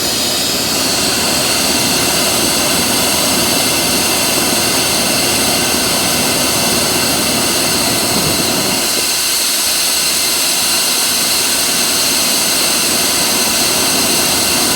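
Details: 1996 Ford F250 4x4 460 V8 (OBD1), warming up after start: steady loud even idle with no misses or knocking; fuel about a year old, oil still old; normal idle.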